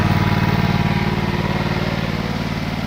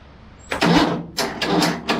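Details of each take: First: MTD twin-cylinder ride-on mower, sat outside five years: steady, even twin beat with no missing or knocking, then winds down. Good compression, plenty of grunt, a little smoke, probably oil. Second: MTD twin-cylinder ride-on mower, sat outside five years, cranked on a car battery and jump starter: three bursts of starter churning, never catching. The fuel put in had leaked out near the fuel pipe.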